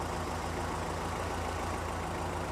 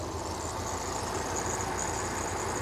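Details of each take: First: 1982 Toyota 22R with newly installed performance recurved distributor, timing set and Weber 32/36 carburetor adjusted; steady even low idle with no misses, knocks or hunting. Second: 1982 Toyota 22R with a performance-curved distributor and Weber 32/36 carburetor, idle mixture screw turned too far while tuning for maximum vacuum: vacuum dropping and the engine running with an uneven, loping beat; rough idle.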